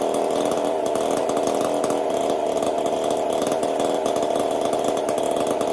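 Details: Chainsaw fitted with a 372 carburetor, repaired ball-bearing detent and a copper-wire choke, test run after repair: steady high pitch with a crisp, even buzz, no stumbling; carburetion sounds healthy.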